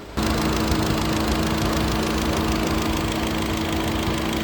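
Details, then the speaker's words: VW Golf 7 GTS TSI with overheating problem, after replacing faulty temperature switch (which under-reported temperature, fan not kicking in at 107°C) and coolant expansion bottle: radiator fan now kicks on, steady even whoosh with constant low hum; normal cooling fan operation. "the radiator fan, it is kicking, as you can hear it. Now the radiator fan, it is on."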